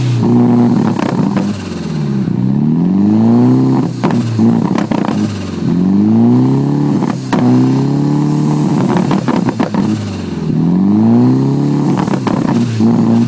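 Engine speed swells and sags about every four seconds instead of holding steady, an uneven hunting idle with no clear cause.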